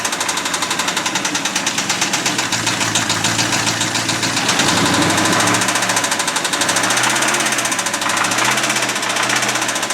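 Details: Abandoned 1989 Ford F250 5.8L V8 started on a new battery after fuel injector wire repair, never revved, throttle thought faulty: a loud, sharp knock about three to four times a second over a rough, uneven idle; an internal knock.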